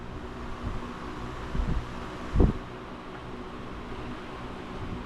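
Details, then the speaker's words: 1949 GE Vortalex 16-inch fan, unused over a year, cold-started, now at speed on high: steady low hum with smooth even drone, no knocks or rattles; fan motor runs healthy. "I really love the way this motor sounds when it's actually firing up when it's warm freshly lubricated"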